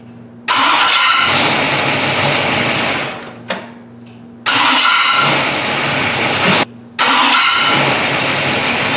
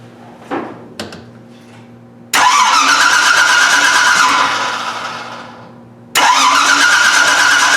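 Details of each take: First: AMC car with a newly installed gear-reduction mini starter: each start cranks briefly, then a high whirring grind lingers over the catching engine. The starter seems to stay engaged for a moment after start; its machining quality is suspected. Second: AMC with a new gear-reduction mini starter, about 4:1 reduction, distributor unplugged so no ignition; high-pitched whirring whine over two cranking bursts, normal geared mini starter sound.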